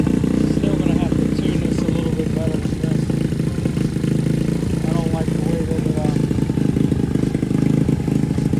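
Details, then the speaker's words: Boom Vader Grom clone small single with new Mikuni knockoff carb, intake line blocked off; set at 2,000 RPM, idles high, a bit better once warming up. Fast, busy idle above where it should settle. "I had it at 2,000. It sounds like that's when it warms up a little bit. Idles a little bit better."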